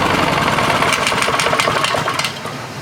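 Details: Lawn mower stored outside under a tarp, new gas, relatively new air filter, carburetor clean: runs a few seconds then chugs unevenly, surging up and down and stalling; mechanic found water in the carburetor.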